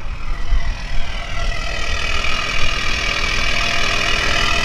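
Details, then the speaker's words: BMW E61 530d, M57N diesel, 232,000 km, cold start after a timing chain repair with the particulate filter removed: a deep, loud idle with a heavy low rumble and rasp, otherwise smooth; loud exhaust from the removed particulate filter. "yeah we are missing the gpf so that's why it sounds like this oh yeah it sounds pretty smooth I believe there will be no issues from now on"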